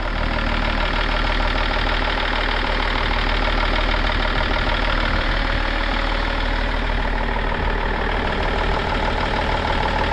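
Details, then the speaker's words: 2003 BMW E39 530d diesel, just acquired in a swap, bonnet up: loud, steady diesel clatter at even idle, slight diesel knock that quiets down, no misses or hunting; normal diesel idle. "Yeah, sounds good. Call a bit of a diesel knock, but no."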